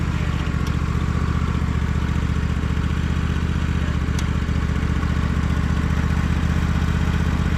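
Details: Husqvarna riding mower V-twin, warm with no choke, after repair of a ruined deck and a worn transmission idler pulley: an even, steady beat at about four pulses a second with no knocks or misses. Transmission and deck run quiet and smooth; normal running.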